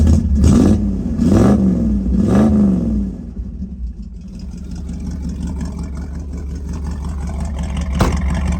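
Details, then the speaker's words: 1965 Ford Mustang Fastback with 289 V8 A-code and 4-speed, just after starting: three clean throttle blips, then a smooth, even idle with no knocks or ticks. Engine is nice and quiet. Normal idle and revving. "Code 4M6. Engine's nice and quiet."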